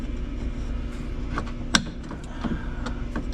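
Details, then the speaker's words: Whirlpool washer during reassembly after the shifter was refitted: a sharp click with a few fainter ticks over a low hum from the shift mechanism, clicking four times. "There's the click right there. We just heard it. It does that four times. Goes tick tick tick tick."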